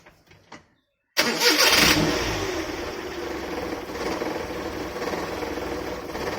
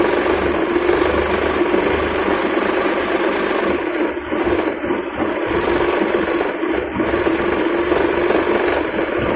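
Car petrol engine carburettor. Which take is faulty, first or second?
first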